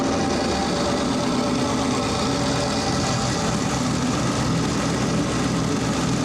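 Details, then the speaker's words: Four-turbo AWD LS-swapped Audi Quattro race car after boost reached about 27 psi: a rough, uneven idle with a hissing, chuffing rush of heavy blow-by; they suspect a holed piston or snapped rings, and the engine will be pulled apart. "That's straight up blow-by. So we either poked a hole in the piston or snapped some rings, but we'll figure that out because we're gonna pull this engine apart."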